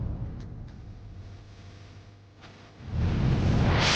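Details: 2002 Renault Master 2.2/2.5 G9T diesel, started just after replacing the Gates belt tensioner, pulley and belt to cure a squeal when revving: starter crank, then a steady, even idle clatter with no belt squeal; normal.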